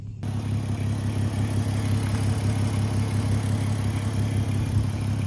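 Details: Audi 3.2 V6 quattro donor, engine still cold: loud, raspy low idle with fast, slightly uneven pulsing and rough edge from a blown exhaust.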